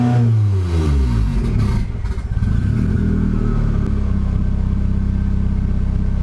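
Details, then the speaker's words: Nissan 240SX S14 KA24DE turbo build (KA24DET) at first startup after fitting 550cc injectors, blow-off valve, AEM wideband and ECU, and it seems to run rich: engine revs briefly then sags and stumbles into a rough lumpy idle, bogging and dropping rpm on throttle. "as I give it any gas then it just dropping down huh"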